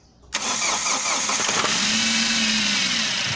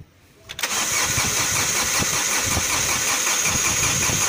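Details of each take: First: MG6 with 15E4E engine, previously cranking with no start from no ignition coil power: sharp catch right away, then a steady hissy idle that holds without stumbling; engine starts and keeps running. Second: MG6 with 15E4E engine: starter cranks steadily at roughly three beats per second but the engine never catches; crank, no start, due to no power to the ignition coil.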